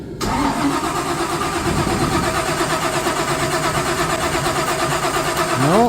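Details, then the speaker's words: 1955 Chevy with supercharger (blower) just reinstalled, fuel line bled and injectors key-cycled: starter spins at steady even rhythm for about six seconds but it never fires; crank no start, cause not confirmed. "nothing yet okay we've cycled the key about 10 more times"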